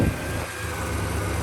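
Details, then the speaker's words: Project Firebird just refilled with coolant, idling with a low, uneven, labouring rumble that wavers; idle had been a problem before, it struggles and nearly dies but keeps running; cause not confirmed. "But yeah, I can tell it's not running great. It's Yeah, it sounds like it's struggling to idle, but it's running."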